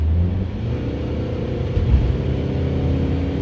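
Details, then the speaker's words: Toyota Previa being revved after a new flex pipe, hanger, upstream and rear catalytic converters, following P0171/P0420 codes and an exhaust rattle: deep, even exhaust rumble, no rattle or leak; exhaust now tight and smooth. "nothing no air loss no pressures back pressurization air loss coming out of that exhaust pipe anywhere it sounds so much smoother"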